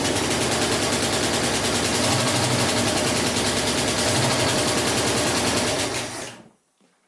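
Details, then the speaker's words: 1984 Ford Mustang Foxbody 5.0 just after intake and carburetor install, on restart: rapid regular ticking about three per second over the idle, continuing after shutdown; valvetrain ticking, suspected rocker off, unconfirmed. "- [Billy] sounds like there's a [Expletive] rocker off - [Engine] making ticking noises after its turned off"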